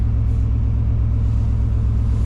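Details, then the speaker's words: 1997 Chevy Tahoe 5.7L V8 with headers and EGR block-off, cold start after a cold night, 57 degrees at header, trouble codes present: deep, steady rumble, even pulses, no misses, knocks or ticks; normal cold idle. "But as you can hear, she's running just fine."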